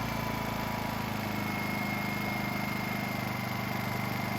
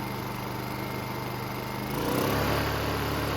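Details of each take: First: Honda EU2000i inverter generator with a rebuilt carburetor and a fouled fuel system. When Eco is switched from on to off, the steady drone lurches abruptly to a new speed with a rough shake. The cause is the missing spring between the throttle and the governor. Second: Honda EU2000i inverter generator with a rebuilt carburetor and a replacement throttle-to-governor spring fitted. It hums evenly, then steps up cleanly to higher rpm and comes back down smoothly without hunting. Air filter assembly is off and the idle stop is not yet set.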